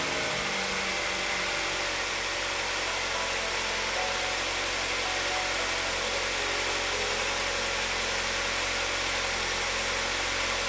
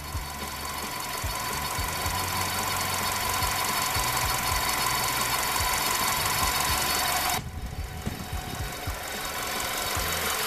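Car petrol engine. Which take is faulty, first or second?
second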